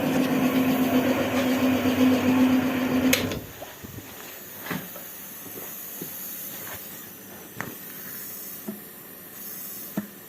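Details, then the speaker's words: Chrysler 2.5 V6 SOHC 6G73 engine during a cylinder leak-down test: a steady pressurized hiss, then quiet with small clicks. The gauge needle is out of the yellow zone, with air clearly leaking past at least the intake valves. "Здесь стрелка находится уже не в желтой зоне. Явно слышно утечка как минимум через впускные клапана."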